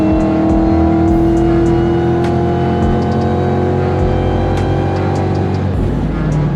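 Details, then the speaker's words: Cobra recorded from inside the car, driving after a new 3.73 gear and 31-spline Moser hardened axles replaced a screaming pinion bearing: engine pulls steadily through the gears, no howl or whine from the rear end. "um sounds so much better in [Music] here no screaming from the rear"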